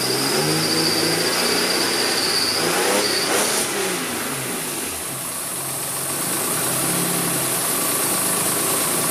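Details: Jaguar AJ30 (Duratec) V6 swap, engine reinstalled, first start after five to six weeks dormant: catches almost at once, brief flare, then even steady idle with no misses or knocks; healthy start.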